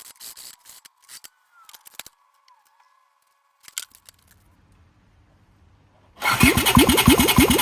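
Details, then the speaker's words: 1982 Honda CX500 Turbo (500cc) running after the blown turbo exhaust gaskets were replaced with homemade copper ones: even, regular firing with no ticking or exhaust puffing, no leaks. It later cuts out when coming on boost. "Got the turbo back on. That's all good now. No leaks. The copper gaskets that I made are sealing that up perfectly."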